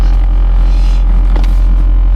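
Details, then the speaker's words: Honda Fit GE8, five-speed manual, modified with solid engine mounts and an HKS exhaust, idling: heavy steady low drone with a deep throb and creaking; the solid engine mounts pass excessive vibration into the cabin. "It has Can you hear that vibration? Solid engine mounts. Oh my god. That's a lot of vibration."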